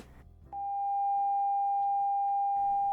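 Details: Technics SB-3 planar speaker (1979, over 40 years old) before maintenance: clean steady mid-pitched test tone without buzz or distortion; woofer fine, while tweeter sounds strange, suspected attenuator problem.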